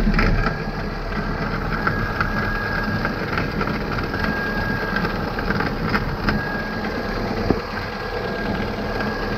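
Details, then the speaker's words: Kia Picanto idling while turning, heard from the pit: irregular dry crunches and clicks over engine hum; worn outer CV joint crunching, seeming to come from the left inside the car. "мне в машине кажется что звук идет именно с левой стороны но когда сладишь яму там четко слышно что наружний шрус хрустит вот так вот"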